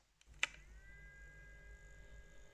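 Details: AverMedia Live Gamer Ultra GC533 capture card: click at switch-on, then a thin steady high whine from its small fixed-speed cooling fan.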